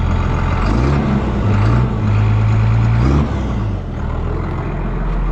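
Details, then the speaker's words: Tractor diesel with TM-type exhaust fitted without heat shield: deep loud bark swelling with revs, sounds like a straight-through pipe; owner suspects someone fiddled with the fuel pump given extra smoke. "That sounds like a straight."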